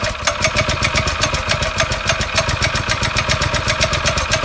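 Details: Yerf Dog go-kart with a new Predator 212 engine and stage 1 kit, replacing the stock Tecumseh, on its first fire-up before break-in: single cylinder pops at a quick regular idle with crisp exhaust beats, no knock or clatter; healthy.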